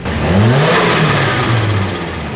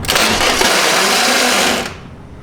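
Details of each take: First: Nissan S13 with stock fuel pump: engine snaps up in revs, holds, then eases back smoothly with no knocks, misses or rattles; normal revving. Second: Just after a fuel pump replacement, the starter gives a harsh metallic grinding whir under two seconds with no engagement or firing; a starter tooth is suspected sheared, with the flywheel ring gear possibly stripped and still to be inspected.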